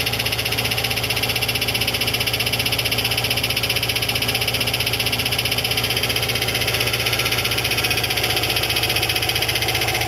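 Steady metallic ticking about four times a second over the idle, perfectly even throughout; points to a cracked flexplate.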